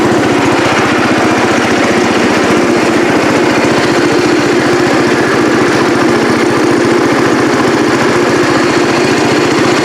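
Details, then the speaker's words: Cub Cadet 108 single-cylinder tractor, carburetor float known to stick; loud, steady, even thump with no stumbling or surging; normal running. "all right all right y'all there you have it got it running got it running up through the driveway here or up to the upper shop here"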